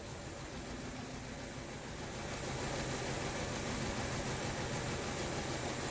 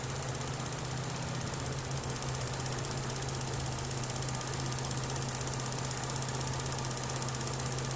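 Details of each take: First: 2012 Chevrolet Cruze with flashing check engine light and traction control light on, rough uneven idle with a stumble; scan data shows cylinder 2 misfiring, its coil not firing. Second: 2012 Chevy Cruze with a flashing check engine light and suspected misfire: an even, steady low hum at idle with no stumble or skipped beat, and misfire counters read zero. It runs smoothly on all cylinders here.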